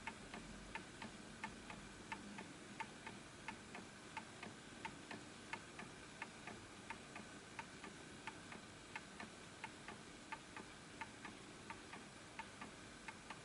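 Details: Antique Enfield Westminster-chime mantle clock, fully wound, after pendulum centring adjustment: crisp ticks at about 88 a minute, fairly even spacing, quiet room; close to in beat, still slightly off, probably needs a nudge right.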